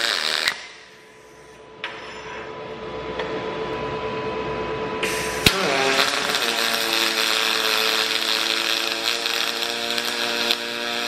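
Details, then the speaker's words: HTP Revolution welder doing aluminium pulsed MIG. A steady crackling buzz with a fine pulsing hum jumps and changes pitch as the trigger cycles through its current stages. Normal pulsed MIG welding. "you should you should hear this cycling you should hear the pitch change as I change cycle through the trigger operation"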